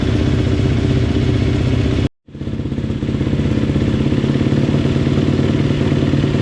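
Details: GasGas dirt bike, first start after top-end rebuild: loud, crisp running with an even, rapid beat, no knocking or rattle; normal running.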